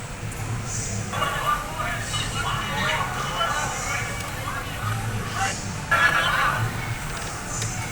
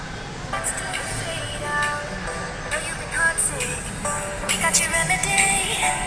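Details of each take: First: MacBook Pro A1502 speaker playing audio harsh and buzzy with crackle on loud parts; original speaker's cone edge cracked and degraded. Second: MacBook Pro A1502 after its cracked, worn speaker was replaced with a new one; music plays cleanly with clear notes and thin bass, much better than before and no longer crackling.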